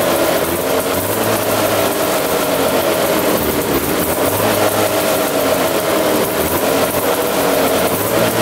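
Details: 1970 Arctic Cat Panther 340cc two-stroke snowmobile, previously locked up and sitting 30 years, running before a compression check: steady, even two-stroke buzz with no stumbling or knocking; normal running.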